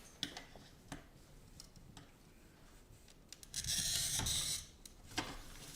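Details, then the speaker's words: Silver Schmidt 2000 cutter scoring textured rippled Wissmach 341 LL aqua blue glass; crisp, even hiss lasting about a second with light handling taps, a clean score. "Now that sounds pretty good too, and keep in mind this glass."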